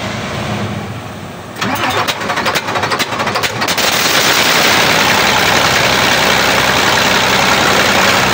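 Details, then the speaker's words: Weichai diesel engine after new injection pump and injector replaced for backfire and glowing exhaust: about two seconds cranking, catches into an even steady clatter, no popping; power restored, no smoke, no backfire. "Okay na siya mga tools. Power na. Wala ng usok, wala ng backfire."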